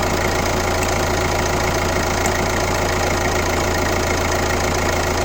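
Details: Kia Ceed 1.6 CRDi D4FB diesel at 115 km, idling with a steady, fairly regular knock of about two per second above the diesel clatter; abnormal engine noise, cause not identified.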